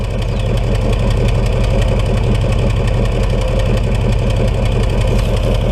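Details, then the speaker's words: 1996 Chevy Tahoe at idle after replacing the 2-year-old ignition leads, blamed for the exhaust farting (no misfire codes set): low, even throb with no popping or chuffing; idle smooth, normal. "but I got to say it looks pretty conclusive that the uh 2-year-old ignition leads were the cause of the fting in my exhaust system"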